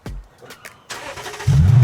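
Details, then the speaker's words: Lexus LS460 V8 first start after end mufflers were replaced; brief crank, then deep, smooth V8 burble, not very loud, low exhaust note; healthy start, normal. "Hoopis teine on ju. Ja ta ei ole väga lärmakas. Ta on suuke madal ja ma arvan, see, mis pea poole."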